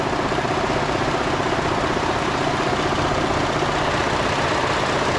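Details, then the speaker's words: 2013 Ford F-150 3.5L EcoBoost at idle, stethoscope loudest near the cam-driven high-pressure fuel pump: busy, fairly even mechanical tick about two to three per second, not confirmed. "normal clicking that's normal that happens on every gdi engine because it's a high pressure pump that runs off a cam so a little ticking is normal"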